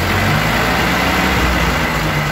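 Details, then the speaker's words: Ford 8N tractor four-cylinder at slow idle after carburetor rebuild, idle screw about three-quarters turn out, slightly richer than book; even steady putter, no hesitation on acceleration, normal idle. "no hesitation acceleration and a nice Idol when it comes back down"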